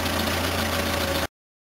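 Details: Van that had flooded with fuel vapour, with petrol smelling in the oil, after the crankcase breather was disconnected to vent the vapour: a short stretch of steady, even mid-pitched idle with no stumble. Normal idle.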